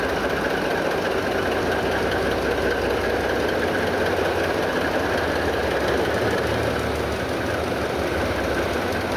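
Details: MV Steve Irwin ship's port main marine diesel started after years dormant: deep steady idle, even rhythm, no knocks or misses; good oil pressure, governor taking over RPM.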